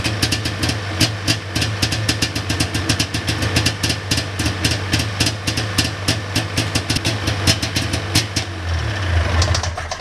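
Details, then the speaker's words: 1999 Ski-Doo Formula DLX two-stroke snowmobile with botched carburetors: uneven crackling rev bursts that stumble rather than idle cleanly, sounding boggy. Owner suspects flooding from the choke; cause unconfirmed, carb cleaning and fresh plugs planned. "I think I just had the choke on there when I didn't need to have it on and just flooded her out but definitely sounds a little bit boggy"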